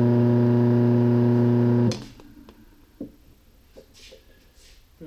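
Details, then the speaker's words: Old rusty, crusty sump pump removed for failure, tipped over to trigger its switch: loud, steady low hum with a strong buzzy edge for about two seconds before cutting out; the motor sounds unhealthy. "okay so it's actually turning the motor you can hear it and it doesn't say I'm very healthy"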